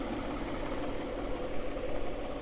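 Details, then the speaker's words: Peugeot 406 Coupe project car, later 210 bhp V6, ticking over: a quiet, smooth, even idle with a steady low hum and no knocks or ticks. Normal idle. "so as you can see it's the later 210 Brak horsepower engine ticking over very nicely"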